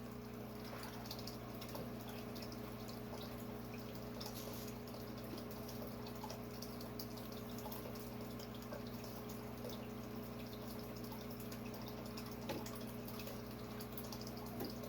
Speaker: you can hear that gurgling in the background that is from my native tank i still need to do something with that way that fountain feeds into